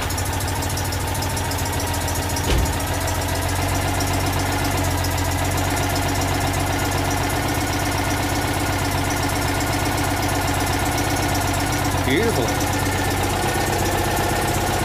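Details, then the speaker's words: Citroën 2CV flat-twin, newly fitted engine, first run with exhaust manifold off and carburettor jetting wrong: loud, even idle, beat steady and unbroken; normal idle. "that sounds pretty good I'm pretty happy with up feels okay"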